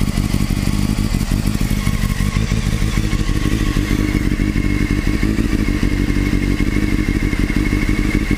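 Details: Top-end engine clatter with uneven light thumps about three a second over the running engine; owner suspects the cam chain tensioner (CCT), cause unconfirmed.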